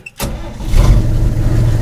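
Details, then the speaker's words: 1957 International with a three-speed (previous owner cobbed the levers on the worn linkages): short crank, catches at once and settles into a steady low rumble; clean, healthy start, starting this well every day this week. "just like that this thing has started that well every single day this week it is absolutely amazing to me"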